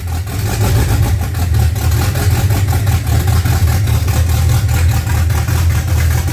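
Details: Freshly built 355 small-block Chevy V8 (double-hump heads) in a '55 Chevy on first fire-up: strong, steady, quick even rumble with open, loud exhaust, no knocks or misses; normal idle.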